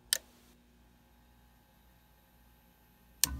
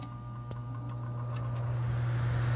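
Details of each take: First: Trane gas furnace on a no-cooling call, after the capacitor was replaced: silence, a click, then the fan spins up into a steady, even rush of air. The blower starts normally, so the motor is probably okay. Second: Trane gas furnace on a no-cooling call, jumper red to green: steady low hum building slightly with no fan spin-up; blower stalled on a failed capacitor; new capacitor made it start, motor probably OK.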